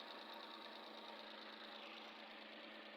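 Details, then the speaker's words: Suzuki K6A petrol engine idling after replacing the misfiring spark plug: steady, even clatter with no stumbles or shaking; misfire solved, normal idle. "the sound is okay now at the number two plug no is working now"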